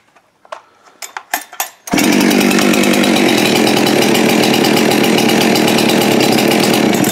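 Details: Husqvarna 372XP X-Torq chainsaw salvaged with new rings, honed cylinder, carb kit and adjusted metering lever, restart: a few cord pulls, catches at about two seconds and holds a steady, crisp buzz; normal running.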